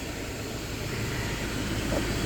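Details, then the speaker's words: Idling car with AC maxed while being recharged with R134a after a new AC hose was fitted; the compressor, low on refrigerant, gives a loud, steady drone over the engine with no cycling. Loud AC compressor. "i'm gonna keep going inside and checking man that compressor's super loud"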